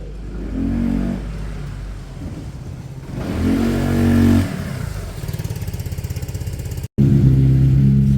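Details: Peugeot Satelis scooter after full restoration, all panels refitted, first run: engine catches, idles with even low putter, revs up and settles cleanly; running smoothly.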